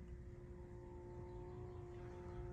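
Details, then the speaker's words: 2007 Mitsubishi Galant Ralliart 3.8L (6G75 MIVEC), key on with heat selected, behind glove box: steady low rumble with constant tone and faint clicking; hot/cold blend door actuator motor making noise, to be replaced. "here's making all sorts of noise"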